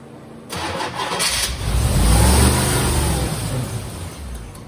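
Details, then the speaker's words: 1987 Chevrolet Corvette C4, under 86,000 miles, sat for years, new injectors, manifold parts not flush and vacuum leaks suspected: cranks, catches and briefly revs, then fades within about three seconds. Giving gas does nothing; won't stay running. "Okay. Ignition on. All right, giving it gas and nothing happens. Won't stay running."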